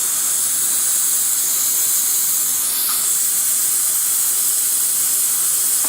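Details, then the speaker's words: Worcester Bosch 38 CDi boiler system after draining and refilling, radiator hot at the bottom and cold on top: a continuous sharp hiss with a few faint spits as the bleed valve vents trapped air. Afterward the radiator warms all over and pressure drops from above 1.5 to just over 1 bar. "So that's another radiator. You can see hot at the bottom, cold on top. Yes, there is air in there."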